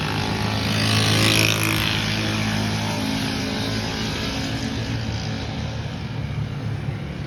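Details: Suzuki Alto 660cc running with a whirring drone under the exhaust that fades as it settles; attributed to a worn clutch release bearing.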